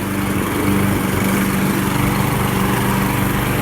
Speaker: She's cutting like she did on April 22nd, 2017. That's the day I bought this mower at Home Depot.